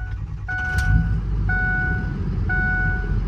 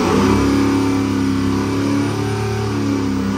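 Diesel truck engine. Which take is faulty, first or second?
second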